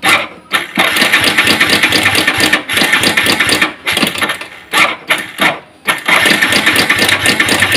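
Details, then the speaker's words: Yamaha Vixion Advance: a rough, fast, uneven metallic clatter over the running engine; the mechanic judges from the sound that the cam chain is faulty rather than the piston. "tapi kalau dari suaranya ini rantai kampratnya wis bermasalah"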